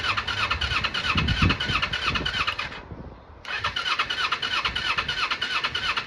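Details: 1995 Kawasaki Eliminator 250 motorcycle, long off the road, on reserve with fresh fuel filling the carbs, run on choke then revved: uneven, lumpy firing pulses with a brief dip before revs pick up; rough running, owner suspects spark plugs, unconfirmed.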